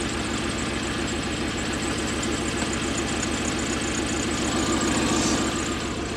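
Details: Toyota 1UZ-FE V8 (Surf/4Runner) running on half its cylinders, burnt oxygen sensor wiring also found, fault came on suddenly: lumpy, loping uneven idle; one bank misfiring from failed ignition coil.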